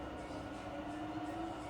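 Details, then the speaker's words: Fully rebuilt Bridgeport milling machine, variable speed head at about 1000 RPM with quill engaged, then stepping down toward 500 RPM: smooth steady hum with even tones, no knocking or grinding; normal, quiet spindle running. "So we're firing up, we're currently about 1000 RPM. Hear how quiet that is. It's a lot of work all the time, a lot of money to make the head sound that quiet."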